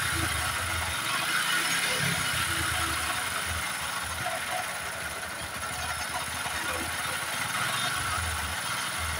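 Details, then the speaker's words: Honda Supra X 125 single-cylinder engine at idle: uneven mechanical clatter, roughly three beats a second, very rough-sounding before full engine teardown; rough engine noise, cause not yet found. "Oke, jadi suaranya seperti itu, sangat kasar."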